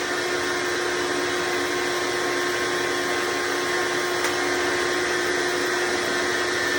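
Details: Hoover Decade Soft & Light Elite vacuum (owned since May 2024), first run after replacing 7-bladed fan impeller with 20-bladed upgrade, bearings greased: steady even motor roar, constant mid-pitched hum, no rattle; noise mostly reduced, still somewhat loud.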